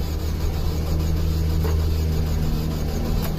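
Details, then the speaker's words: 2005 Saturn Ion 2.2L 5-speed, crank-no-start after shop clutch job, said to have jumped timing, PCV line crimped, low fuel: steady cranking drone with pitch and rhythm shifting partway, no firing; owner suspects very loose timing chain. "chain must be really loose or something because it seems like the pitch change to the engine cranking it's"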